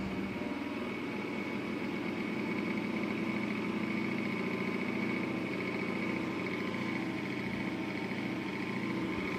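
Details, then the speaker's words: 115V AC industrial fan on a variac, louder as voltage rises, also heard lifted off the ground: a loud, steady airflow roar with a constant hum and faint high tone. It is even and unchanging, running normally. "now the fan has become much more louder again let's see what happens if we move it off the ground yeah yeah it is it is louder"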